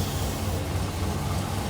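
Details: 1972 Rover P6 V8 winter warm-up, cold idle with choke out because it won't idle otherwise: deep even burble, slightly rich but smooth, no knocks or misses; slight exhaust back box leak noted; normal idle.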